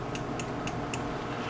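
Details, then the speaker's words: VEVOR 500 W commercial immersion blender, lightly used, just past one-year warranty: four sharp power-switch clicks, blue light on, no motor hum; motor dead after internal clunk during use. "There is a switch on the base here that controls the power setting, and it's supposed to have on button, which you can hear clicking, doesn't do anything,"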